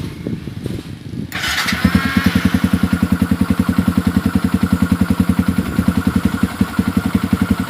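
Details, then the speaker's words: Yamaha Xabre/Vixion-based motorcycle, hard to hold idle and dies when throttle opened, AFR over 16:1: lumpy idle pulsing about 3.5 per second; suspected lean fuel supply from weak pump, dirty filter or injector. "jadi waktu mau digas ini kadang-kadang dia mati seperti ini sih kalau kerusakan standar paling-paling cuma pulpam lemah filter fuel pump kotor atau mungkin injectornya yang kotor gitu ya"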